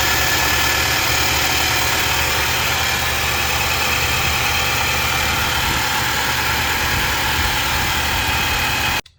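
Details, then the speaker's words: 2019 Nissan NV3500, 5.6L VK56VD V8, after replacing a hose with a new OEM hose: steady, even V8 idle with a smooth hum and no whistle: normal idle. "there we have it noise has been eliminated i have the new oem hose in place"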